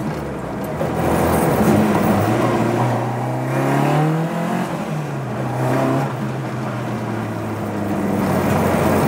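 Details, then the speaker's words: Ford Escort Mk2 four-door 'Maude' on the road after exhaust made quieter: engine pulls and eases off with clear intake roar over subdued exhaust, less overrun popping; normal induction noise, healthy. "nice to be able to hear induction for once"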